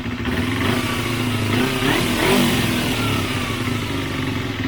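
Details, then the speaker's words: Motorcycle after a second carburetor cleaning and rough synchronization: a sharp rev rises then hangs, dropping lazily back to idle; owner suspects an air leak. "natomiast słychać że jeszcze nie schodzi dobrze z obrotów i tutaj może to lewe Powietrze gdzieś powodować że on za słabo schodzi po prostu"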